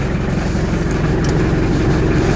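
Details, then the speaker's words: 1986 Ford Escort diesel after fuel system repairs for stalling and no-start: even steady clatter at 700-800 rpm idle with foot off pedal, no misses, surging or knocks; idling normally. "alright my foots completely off and she's at seven to eight hundred"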